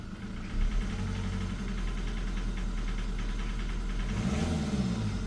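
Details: Jaguar X-Type 2.0 diesel idling with a light, uneven knocking and rattling from the driver's side of the engine that swells briefly when the throttle is blipped; the cause is unknown.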